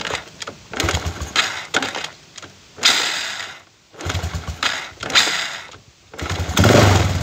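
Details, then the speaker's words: Chinese 125cc iron-cylinder motorcycle kick-started on an AC CDI with ignition advance: several kicks each give a short cough that dies, and the kickstarter kicks back; hard starting from over-advanced timing. "vamos Oh ahí vieron la dificultad que tuve para prenderla tuve que patar varias veces y varias veces me volvió la pata"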